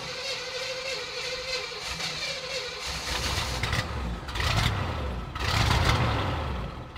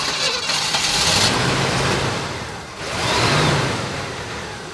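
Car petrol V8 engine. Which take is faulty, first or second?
second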